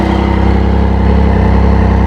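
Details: Triumph Speed Triple reported to stall suddenly: uneven lumpy idle with slight hunting; cracked-through intake boot leaking air and throttle bodies out of sync.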